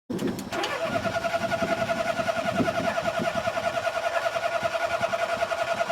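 The starter whines steadily and the engine turns over in quick even pulses, about three and a half per second, but never fires.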